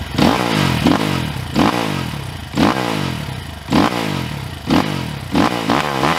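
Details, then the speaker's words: 2022 SSR Motorsports SR300 (SR330) single-cylinder dirt bike with FCR carburetor, just after setting the fuel screw and lowering idle, before warm-up: crisp throttle blips rise cleanly and drop straight back to a settled thumping idle; normal idle and revs. "Of course, when I get to Hollister and it warms up, this might change. I'd say that sounds pretty damn good."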